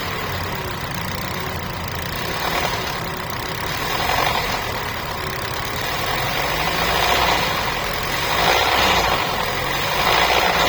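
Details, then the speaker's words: Hyundai Stargazer with red oil warning light on, oil present: engine revved in slow swells, uneven tapping over the roar growing with revs; knock audible even inside the cabin, cause unknown. "Sa engine, may oil naman yung engine. So sir, ito yung tunog kapag nire-rev ko siya."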